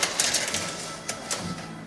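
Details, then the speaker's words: Sharp, uneven crackles and snaps as the hand-cranked door window of a 1968 Subaru 360 is wound open; the window opens fully, and the source of the noise is still unknown before the door panel comes off. "これ全然開くんですけど、聞こえます？バキバキって言いません？これ"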